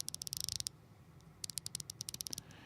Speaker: Hear that fine clicking? Hear that? uh cheap shitty rapids. Ra ratchets that'll bust your knuckles don't have a fine tooth in there.